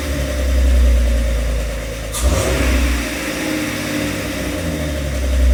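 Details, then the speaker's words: Jeep TJ, about 22 years old, with replacement used 4.0-liter six-cylinder after the old engine's tick became a knock: deep, even run with a quick rev and one sharp pop, likely excess fuel in the cylinder, then settles smoothly; normal running. ">> Terrifying. Oh my god. But it runs. >> Sounds good. >> It does sound good."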